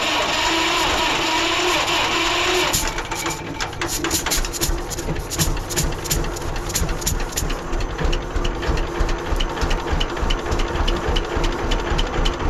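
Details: 1946 John Deere BN two-cylinder tractor on a 47°F day, after carburetor rebuild and governor throttle control rod adjustment to fix earlier surging: steady, even putt-putt of about three beats a second after the starter. Runs cleanly and healthy.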